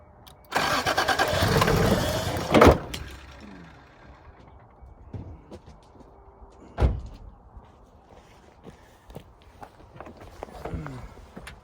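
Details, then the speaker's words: 1986 Toyota Supra brought back from sitting, primed with fluid in the intake: it cranks, catches with a rough two-second roar, then dies with a few clanks. Owner suspects a fuel problem, possibly no gas or a bad fuel pump. "Sounds like she's gonna run. Sounds like she's just missing a little fuel problem."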